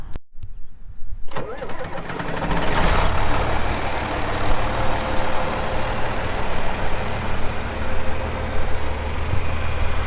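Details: 1984 John Deere 4050 2WD tractor with a JD 466 diesel and 15-speed Power Shift, 3,342 hours, cranks briefly, catches and settles into a steady, even low idle with no knocks or misses. Normal start and idle.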